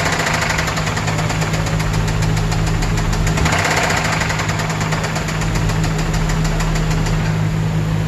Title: THIS IS WHAT ROD KNOCK SOUNDS LIKE